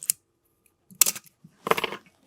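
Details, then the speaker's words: Canon A-1 shutter tested at 1/1000 s, the fastest speed, where mirror-box gear squeal is loudest: three releases, the last dragging with a rough, stuttering squeak instead of a crisp snap; dry gears needing lubrication, the Canon cough. "So it's 1,000th of a second in this case, because the faster those gears work, the more you're gonna hear the squeal."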